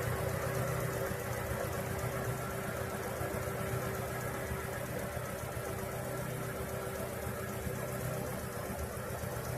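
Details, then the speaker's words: Petrol car at idle after paraffin candle wax was applied to the alternator belt to cure a cricket-like chirp: steady, even hum with no belt chirping or squealing, so the noise is fixed. "Bom, galera, resolveu, tá?"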